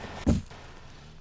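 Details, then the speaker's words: 1988–early 1989 Buick Regal: a single dull thud as the rear struts extend to the limit of travel, most apparent when turning sharply into a steep corner. It is not damaging; the fix is current-design struts with about 3/4 inch more travel, plus 1992 jounce bumpers. "on some 1988 and early '89 cars a thud noise may be caused by the struts extending to the limit of their travel the thud is most apparent when the car is turning sharply into a steep"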